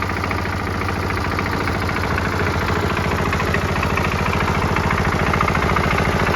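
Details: Kubota L13G tractor built 1962-1967 (about 60 years old), single-cylinder vertical two-valve water-cooled diesel, idling after a morning glow-plug preheat: even steady chug, no misses or knocks; engine very healthy despite possible minor oil drips, no white smoke.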